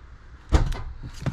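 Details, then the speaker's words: Honda Civic EK after installing central locking and reverse camera, ignition on: one solid clunk then lighter knocks as the trunk latch pops free; trunk release actuator working properly. "See, it's working. Okay, ship working. The chunk open."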